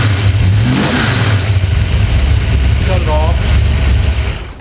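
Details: Drag car being prepared for an 1150 index run at Cincy Street Nights, fired up after a float-level and fuel-leak check to verify ignition timing: engine catches, revs and settles into a firm, even run with no stumbles or popping, running clean.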